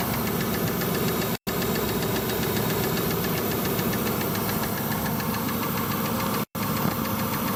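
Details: Mitsubishi Pajero petrol after new rocker cover gaskets, spark plug well gaskets and oil change: steady rapid knock at idle from the driver-side rocker cover; cause not yet diagnosed, mechanic to inspect.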